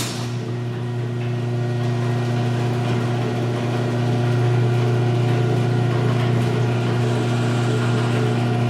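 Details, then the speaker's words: Six-year-old LiftMaster 8365 chain garage door opener raising door one, after maintenance: rails and gears regreased, chains adjusted, trolleys greased. A steady motor hum builds as the door travels, with much less chain and trolley clanging than before; operation normal. "you can just hear that when the opener starts moving in general right away there's a lot less clinging sound from the trolleys"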